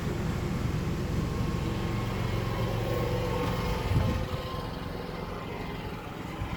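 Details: Yamaha generator with NPS eco kit powering one air conditioner: even engine drone, then a short thump near four seconds as the compressor cuts in, about 55 to 58 dB; generator takes the load and keeps running steadily.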